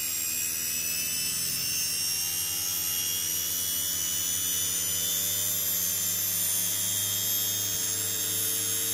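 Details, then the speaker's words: Series-wound DC motor regen-braking test rig, motors sped up to generate about 60 V DC, around 2,000 rpm: steady high whine with constant low hum, smooth even speed, no rubbing or knocking; normal motor run. "right so let's speed up our motors so we're generating about sixty volts DC [Music]"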